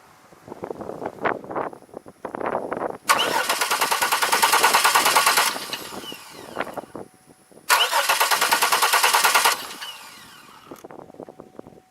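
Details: 2002 Chevy Malibu crank-no-start, fuel pressure and spark under test: two cranking bursts of about two seconds each, quick even starter chug near three turns per second, engine never catches.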